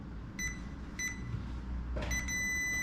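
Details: Continuity test on a newly built Lexus LS400 92-94 LHD engine harness for automatic gearbox: two short beeps then a steady tone as probes hold contact; circuit good, wire intact.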